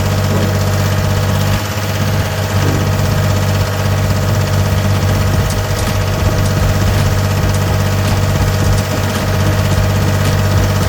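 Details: Gehl 4640 skid steer with a Deutz diesel: deep, steady diesel clatter holding an even idle with no misses or surging, a normal healthy idle.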